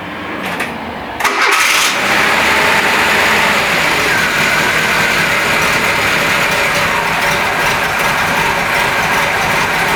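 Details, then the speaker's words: Renault Trafic with swapped C1J engine, cold start after sitting three days unwarmed: cranks about a second, catches at once, choke taken off immediately and it holds a steady, even idle without hunting; normal cold start. "le moteur je ne l'ai pas fait démarrer juste avant je n'ai pas fait chauffer rien du tout ça fait maintenant trois jours que j'ai pas retouché depuis la séquence de la dernière vidéo comme tu vas plus entendre il y a démarré tout de suite au car et tout de suite j'ai retiré le starter"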